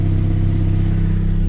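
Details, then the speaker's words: 1998 Saab 9000 CSE 2.3 HPT Anniversary Edition, 5-speed, 353,000 km, idling after start: deep, loud, steady exhaust rumble, louder than stock, possibly an exhaust leak; loud exhaust. "On this car, to start it, you have to press the unlock button in order to get it started, otherwise it won't start. So you can hear the exhaust"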